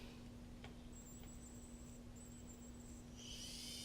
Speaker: Motor 1, good. And then we'll do motor 2. Motor 2, good.